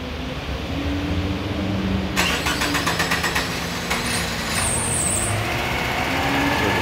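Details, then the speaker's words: 1993/94 Subaru Impreza L (GC8), abandoned for years, first start after a new fuel pump, fuel filter and battery and a wiring repair; quick cranking, then it catches and settles into a steady, even, normal idle. "We put a fuel pump in it, put a fuel filter in it, diagnosed some of the crazy wiring that was going on, and got it to start up."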